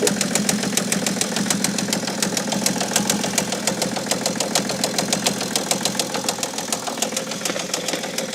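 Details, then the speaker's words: 2008 BMW E65 730d diesel, just jump-started after arriving with a dead battery: sharp, even ticking knock, three or four a second, over a rough idle; very loud knock, owner suspects a rod bearing. "it kind of sounded like a rod bearing issue i'm not really sure but it did have a very loud knocking from the engine"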